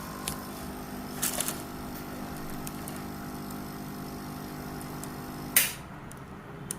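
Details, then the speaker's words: Sunsun CT-202 aquarium air pump running with a constant buzzing hum at a steady pitch that stops abruptly when switched off; not a silent pump; loud running noise. "यह silent pump नहीं है अगर आप इसे लगाएंगे तो एक हम की आवाज आती रहेगी"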